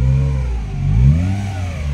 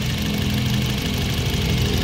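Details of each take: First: 2017 Honda City 1.5 revved with the AC on: a heavy low drone that disappears when the AC is switched off, traced to a faulty AC compressor, heard before the compressor was replaced. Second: 2017 Honda City 1.5 at idle with the aircon on, after the AC compressor was replaced: steady, even idle with no added hum or drone. Before, it droned loudly with the AC on. Same sound AC on or off, normal.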